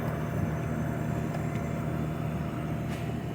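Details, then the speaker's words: Undercounter cooler compressor just after a hard start kit was installed, drawing about 7 amps on the run wire: steady low hum with a faint higher tone, running smoothly where it previously made no sound; normal compressor run. "Alright, we now have a compressor sound. We did not have before, but just to verify."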